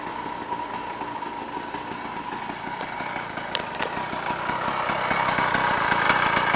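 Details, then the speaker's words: 49cc two-stroke motorized bicycle kit, freshly completed first run on break-in oil mix, smoking heavily: pops along at even quick beat, gradually louder, no misfires; healthy, normal running. "Alright, I don't know if you can hear me really, but there's the finished gas bike, and it is running."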